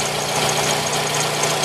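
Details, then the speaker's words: Toyota RAV4 at idle: thin steady high-pitched whistle, rising when revved, fading away after a few minutes; owner suspects alternator bearing or water pump, pump dry and not leaking, not confirmed. "Не могу понять, то ли подшипник генератором, то ли помпа. Странно, но везде сухо, помпа не течёт. Вроде бы как подшипник генератора."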